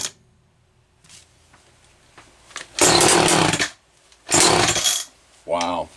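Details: Homelite XL-123 chainsaw: catches in ragged bursts of about a second, then drops away and stumbles; bad misfire with popping and banging, later traced to a faulty condenser.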